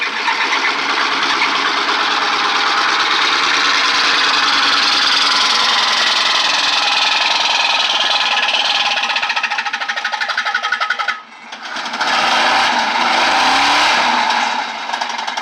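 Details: 1996 Suburban 5.7 V8 at 160k miles running with loud, hard metallic rod knock at three to four blows a second; low oil pressure, owner unsure if that caused the failure.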